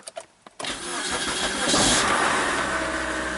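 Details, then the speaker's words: 2003 Mazda Protege5 automatic, 123,000 miles, recent timing belt, no-crank in park: shifted to neutral, a few quiet clicks then a short crank and clean catch into an even idle with no misses. "so uh neutral looks like it starts up fine"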